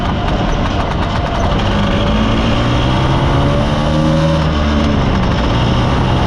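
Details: Mostly original Spanish Lambretta Jet 200 (Serveta) two-stroke on test ride after carb slide cutaway changed from 1.2 to 2.2; pulls cleanly through revs, even crisp exhaust note, no spitting or hesitation; mid-range spluttering cleared, main jet seems about right.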